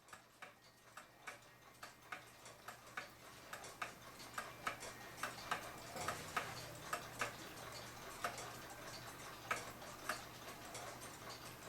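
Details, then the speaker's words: Waterbury pendulum parlor/kitchen clock, level in its case: tick and tock unevenly spaced, clock out of beat; pendulum rocks, suspected weak flat of the crutch wire, wire then bent over to adjust. "Anyway, you hear it's not ticking"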